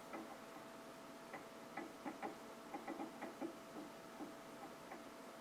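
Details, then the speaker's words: Faint, irregular clusters of light ticks over a quiet hum from an Asus P5L-MX PC setup during an OS install. The cause is unknown: it almost sounds like the keyboard, but the monitor, already known to be problematic, is suspected. "Almost sounds like the keyboard's making that noise. I think it's the monitor, though, because this monitor is definitely problematic."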